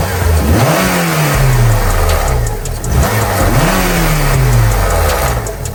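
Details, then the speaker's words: 2006 Honda Civic Si 2.0L, revved and released: loose clattering rattle following the throttle, worse after letting off; failed timing chain tensioner no longer tensions the guide, so the chain flaps; timing chain replacement follows. "And once you hear the car start and we'll rev it up, you'll hear the chain start flapping because the tensioner is not putting tension on the guide."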